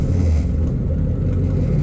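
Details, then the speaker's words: 2004 Mazda RX-8 swapped with a 2006 Ford 4.6L 3V V8, new true dual exhaust instead of a single outlet, fresh start; deep even V8 burble at steady idle, no misses, knocks or ticks; normal idle. "I really love the new sound uh you know went to True two exhaust dual exhaust rather than dumping into a single"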